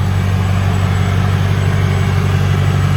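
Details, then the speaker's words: Lexus LS400 1UZ-FE V8 on cold start after replacing lower plenum intake gaskets (loose passenger-side bolts found), upper plenum and leaking injector seals: deep, steady, even idle with smooth low rumble, no hiss, stumble or miss; healthy. "burning like a kitten so what i found most likely what issue was the lower plenum intake gasket uh passenger side most of the bolts were loose"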